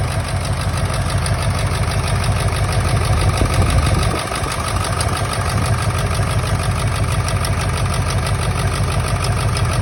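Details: 1999 Ford F-350 7.3 Powerstroke diesel at idle, still running rough: uneven lumpy beat with a dropped pulse pointing to one cylinder not firing; injectors unplugged and oil outlets checked, one showing no oil; owner suspects an injector, harness to be ohmed.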